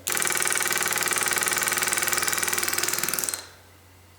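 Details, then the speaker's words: Progressive controller pulsing a solenoid, starting at 42% with a 3.8-second ramp to fully open: a rapid, even clicking buzz as the plunger cycles for about three seconds, then stops; normal progressive pulsing. "As you can hear it, what it's doing is pulsating that plunger up and down really fast. And as it gets to 100%, it starts to gradually go to wide open to"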